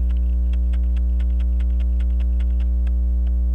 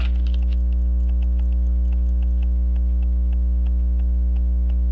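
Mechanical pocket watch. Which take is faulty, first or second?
second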